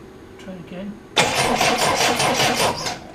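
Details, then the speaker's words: Triumph Dolomite cranking after static ignition timing was set: steady, fast chugging of the starter turning the engine for about two seconds with no firing at all. A tester on the coil terminals shows no power reaching the ignition coil. "I really need to be on this back from the coil when I first interject see if there's any power to the coil so that's the positive and that's a negative but if you can see for me out it I'm getting nothing a coil absolutely nothing"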